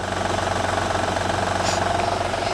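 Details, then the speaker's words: Honda/Acura V6 over 100,000 miles, cold idle: steady rapid diesel-like tapping that fades or lessens once warm; timing belt noise. "now in a honda if you have anything like over 100 thousand miles on this particular v6 that timing builds on it when it's cold sounds like this and then warm up and that noise go away or lower"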